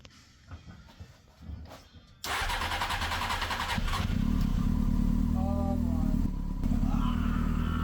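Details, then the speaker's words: 1999 Honda Hornet 600 after ignition barrel replacement and a zener diode and resistor fix for the no-spark fault, with a vacuum fuel petcock and manual choke: it cranks, catches and settles into a steady idle with no popping, backfiring or knocking. "That sounds good. We got to run. We got [Music] no backfiring. No popping, no knocking in the engine."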